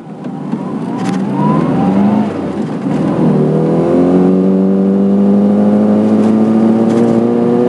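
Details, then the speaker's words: Mini 1275 GT with good compression. On test it pulls through the revs with an uneven, chugging pulse under acceleration that sounds like fuel starvation but is actually running rich: rich mixture hesitation. "You hear that? Oh, it's like fuel starvation. But the trouble is, it isn't fuel starvation, it's the opposite."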